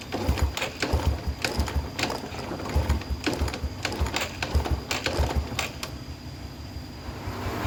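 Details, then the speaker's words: Yamaha Vega R that keeps stalling and is hard to start: light, quick kick-start strokes with a dull clatter, never catches; kick feels very light with no compression, possibly valves or piston rings, not yet confirmed. "Ini udah kita coba selah-selah, ternyata nggak hidup. Ini tadi sudah saya ingkol-ingkol, itu ringan banget, tidak ada tekanan kompresi di bagian ruang bakarnya Kang Bro."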